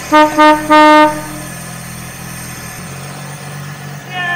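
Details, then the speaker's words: 1959 Chevy Apache pickup after a quick engine rebuild, first start in over 25 years, Marvel Mystery Oil in the cylinders, cracked radiator: a few horn toots, then rough low idle with an uneven puffing tick; bad exhaust leak. "It runs. We have a pretty bad exhaust leak."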